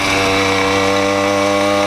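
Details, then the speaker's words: 80cc two-stroke motorized bicycle, riding after tightening a slipping clutch that had caused a loud noise: steady, even buzzing note with no surging or rattle; clutch engages immediately with no drag or slip, pulls well. "Tighten up the clutch. We're not slipping anymore. that crazy sound anymore. Listen to her purr now."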